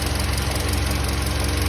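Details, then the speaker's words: SsangYong Kyron 2.3 petrol, 69,000 km, idle: quick light even knock near thermostat/belt area, appearing when tensioner loosened and vanishing when tightened; pump replaced without effect; worn rubber bushing in belt tensioner damper. "Вы ослабляете натяжитель, и появляется звук; Затягиваешь — и оно исчезает. Проблема заключается в этом демпфере; Резиновая втулка там внизу разболталась."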